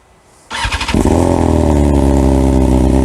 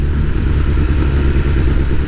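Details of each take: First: 2022 BMW S1000R Sport, over 2000 miles, full Black Widow aftermarket exhaust, cold start: fires up into a fast, steady, deep burbling high idle from the cold-start function, then settles down; normal but annoying to the owner. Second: 2022 BMW S1000R Sport with full Black Widow exhaust, over 2000 miles, untuned: engine hunts at low rpm on partial throttle, like an on-off throttle or missing a spark plug, worst downhill; owner hopes a tune fixes it.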